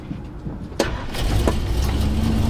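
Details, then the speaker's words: Camper van that had failed to start even with booster pack; after ignition power restored, short crank, catches within a second and settles to smooth even idle; normal start. "et la contact il revient et là c'est bon ça démarre"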